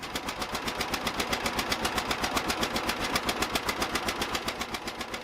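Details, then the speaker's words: 1950 John Deere Model A barn find, first start after about six years sitting: sharp even popping with ticking puff each firing from a small exhaust leak between manifold and exhaust pipe, to be fixed. "I don't know can hear it or not but it does have a little bit of a leap between the manifold and the exhaust pipe that's no big deal we'll get it fixed"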